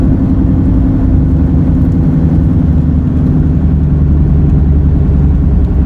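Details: Car at speed: steady low droning roar under road noise, louder in turns; front left wheel bearing replaced but the noise remained, so the tires are now suspected.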